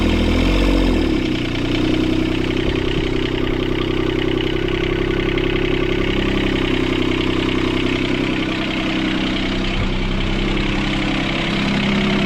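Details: Sailboat port diesel after repairing four engine mounts snapped by a submerged log. After starting it holds a steady, fast clatter well above normal idle; the throttle cable bracket was bent when the engine jumped forward 3-4 cm.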